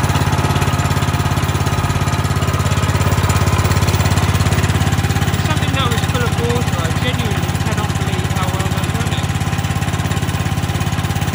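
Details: Wacker plate compactor's small engine after repair (new switch, oil topped up, spark restored) following a no-start fault; low, even thumping idle at constant speed with no misfires or stumbles; running steadily and healthily.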